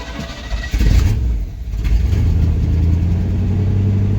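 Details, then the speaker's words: Old 1-ton V8 truck revived after 20 years sitting in a field, needing a new distributor and an electronic fuel pump, possibly low on fuel. Catches and settles into a steady, even low rumble with no misses or knocks; normal running. "Yeah, this thing runs pretty good. I'm curious if it will die here in a second because it's out of fuel."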